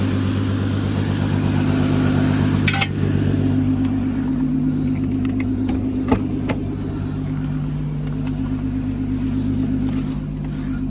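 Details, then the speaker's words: MK5 Golf R32 VR6 turbo with a new custom 3-inch straight-through exhaust, resonator and large back box, checked for leaks: steady, deep, even exhaust note with smooth revs, no puffing or ticking at the joints; sealed and healthy. "sounds good to me yeah sounds really good to me"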